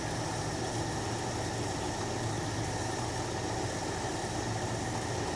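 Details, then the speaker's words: 1966 Jeep Gladiator, first run in 24 years: steady, even low idle rumble with no stumbles. This is after adjusting the idle screws, which cured the earlier stumbling idle. "We're already way up and the engine sounds so much better."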